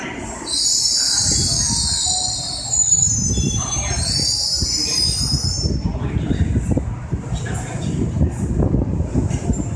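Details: Tokyo Metro 13000 series train arriving at Naka-Meguro station, piercing high squeal for the first six seconds as it slows, then rumble and clatter; cause unknown: brake squeal.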